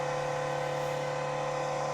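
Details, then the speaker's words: Carlsbro Powerline 300 pro audio amplifier before repair: loud steady whir with fixed high tone, roaring like a jet taking off; worn, noisy cooling fan due for replacement, amp otherwise works. "Yeah, it's like a jet aircraft taking off."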